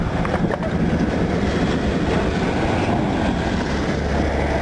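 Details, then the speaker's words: 1978 Ford LTD at a rough idle, heard outside with wind noise: coarse low rattle; owner suspects the AC compressor clutch, but the noise continued with the compressor engaged, source not confirmed. "I don't know if you can hear that rattle but that's what I heard from in here"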